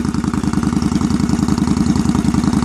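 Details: 2001 Yamaha V-Star 1100 Classic, after earlier lean popping on cold start: steady, even loping putter from the twin at idle, no popping or misses; idling normally once warm.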